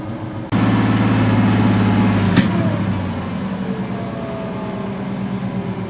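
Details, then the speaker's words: 1970 C10 with stock 1998 Gen VI Vortec 7.4L 454 V8, rough running: revved hard, one sharp mid-rev pop then back to idle; backfire, fuel rail later read 47. "hopefully just heard that backfire"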